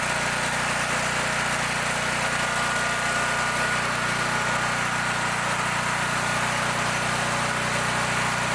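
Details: Brand-new Champion EFI generator that customer reported wouldn't start; fuel smells of diesel or kerosene, suspected poured in then drained. Even, steady engine note at constant speed, no misses or surging; running smoothly.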